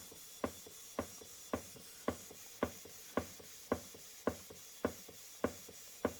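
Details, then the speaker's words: Model 19th-century Mary beam engine on compressed air, just re-oiled including displacement cylinder, sped up as oil worked in: light even clicks about two per second, smooth steady beat; running well. "Don't want anything going dry. That's sped up then, so the oil worked."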